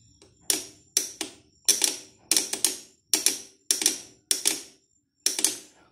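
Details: Motorcycle pressed on the starter: sharp, dry clicks in quick pairs, engine never turns over; starter motor brushes or starter relay suspected, not confirmed.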